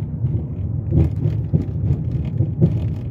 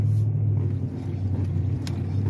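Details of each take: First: 2006 Chrysler 300 driven half a block: low road rumble with irregular dull thumps over bumps from the front left (driver's side); stabilizer links or sway bar bushings suspected, common on these cars, not confirmed; front suspension clunk. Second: 2006 Chrysler 300 on a test drive after new bushings, on smooth road with the steering wheel rocked: only low road rumble, and the earlier clunk is gone. A separate front-left noise over bumps remains.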